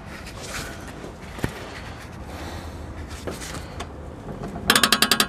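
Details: Car lifted with wheels in the air and manual steering rack: quiet rustling, then a quick burst of sharp ratcheting clicks as the steering turns, from worn strut top mount bearings.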